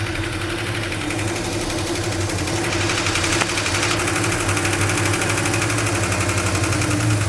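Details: 1974 Dodge D100 shortbed, 360 V8, restored after sitting about 10 years with manifolds freshly installed: steady, even idle with a regular beat around three pulses per second, no knocks or stumbles; healthy idle.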